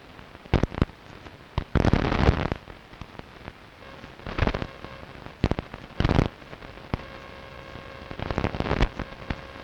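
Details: Strange noise on long wave radio, recorded 0134 UTC 06.06.2012 with DSL modem and router off, not from the home: irregular bursts of static crackle and popping with faint steady tones between; interference of unknown origin.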